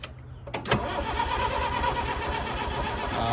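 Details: Bobcat 743 skid steer diesel, after hydraulic leak repair, turns over at a steady cranking beat but never catches; owner suspects he forgot to turn the fuel on and that glow-plug preheat wiring is disconnected. Crank, no-start.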